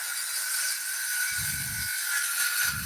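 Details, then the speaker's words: Power saw cutting wood with a dull blade; steady high scream with low dragging growls as the blade is pushed through, tool labouring and needing heavy feed pressure: dull saw blade. "I'm going to let you to listen to this one as I'm cutting through this is a dull blade"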